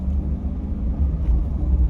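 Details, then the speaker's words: C6 Corvette test drive after replacing the worn factory rubber rear sway bar bushings with polyurethane ones: an even road rumble with no clunks or knocks over bumps, and the long-standing rear noise is gone. "But what we just did, it worked. I have not heard the same noise that I've previously been hearing. It's gone."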